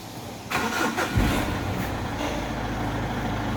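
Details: Mitsubishi Strada after clearing codes U1073, P0102, P0113, restarted to check they don't return: brief crank, catches at once, steady even idle with no stumbling; clean, normal start.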